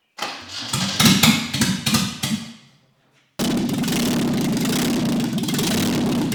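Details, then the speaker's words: 1967 Alfa Romeo Duetto Spider, freshly rebuilt engine first start with no exhaust fitted, after fixing reversed fuel lines and fitting new plugs: raw, deafening, crackly fast uneven run. "it lives finally it sounds like an old aircraft or something it's absolutely deafening but at least i know it starts and i'm happy"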